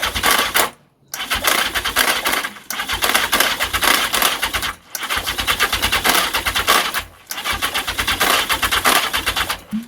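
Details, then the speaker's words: The 750 "Mac" cranks in four long, fast, rattly bursts but never runs; only periodic weak pull through the manifolds, and even accelerant down the intake won't catch. Owner suspects the starter clutch, as before, not confirmed. "I mean, even if I try for, you know, an accelerant down the spout, it's just not sucking enough to do it."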